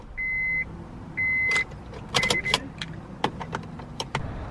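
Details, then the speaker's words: Acura RSX (DC5) that would not start for about three weeks, after reconnecting a loose clip and trying a jumper, key turned: two warning chimes, then scattered light clicks with no cranking; failed starter motor. "so what happened was uh yeah the clip was disconnected we tried to start it i tried to put the jumper hoping it was uh you know bad battery but um seems like it still didn't want to work so that's a starter right there"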